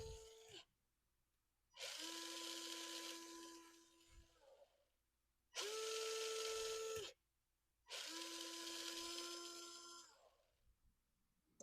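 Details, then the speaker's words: Unbranded AliExpress ESC, claimed 3S-capable, in a hobby-grade-converted Lada RC car, bench test now on a 3S battery: three clean bursts of high electric whine with steady pitch and even spin-up and stop; motor and ESC running normally. "Well, so far I'm happy."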